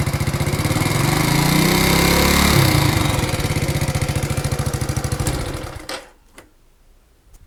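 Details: Alfa moped engine with new piston kit, valves not leaking, magneto and clutch fine: sharp, regular knocking about three per second over the idle until shutoff; source of the knock unclear.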